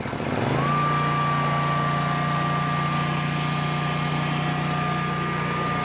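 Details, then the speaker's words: Dixie Chopper Silver Eagle 2750 mower with a Generac engine, started on choke: steady small-engine run with a clear constant high whistle, the normal characteristic whistle of the Generac engine. "the generac has the that little whistle sound to it that generates famous for it's just what they do so you might have heard that when I was running just kind of has this weird sound you know it's just it's what they do"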